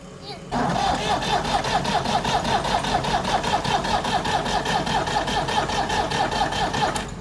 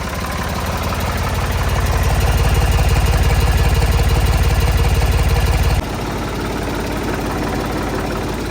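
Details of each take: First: Old Ford tractor after fuel system cleaning, battery drained: starter turns slow and labored about two and a half beats a second, no smoke, never fires. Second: Old Ford diesel tractor just started after fuel system cleaning: steady even chug about 150 beats a minute, no misses or knocks; may need more purging but runs well.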